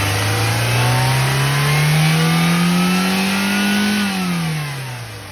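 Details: Maruti Zen MPFI after fuel pump replacement, which fixed poor acceleration and popping from the air filter due to fuel starvation: engine revs smoothly up, holds steady, falls back evenly with no stumble or miss.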